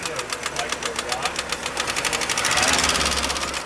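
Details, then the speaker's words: Chevy Cavalier driven out of oil until the oil pressure light came on: sharp, fast, regular ticking at about ten clicks a second in time with the idle, from the top end; likely a collapsed lifter. "That thing sounds like the upper end. So that actually sounds like a lifter collapse there."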